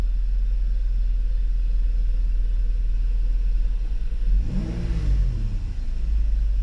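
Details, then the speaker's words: Mercedes 600 SEL V12 with EGAS throttle computer, cold engine just restarted, no ASR/ABS light, loud air pump: deep even idle rumble with one clean quick throttle blip dropping straight back. Both throttles work; normal revving. "And of course the vehicle itself, as you look at the temperature, is still not warm, so it's pretty cold, but it runs pretty well. Both throttles work just fine."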